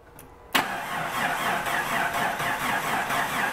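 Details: Vehicle with ignition disabled via auto shutdown relay, cranking during voltage-drop test on engine ground cable (about 0.3 V): starter grinds over slowly and unevenly, about one and a half turns a second; battery tested bad.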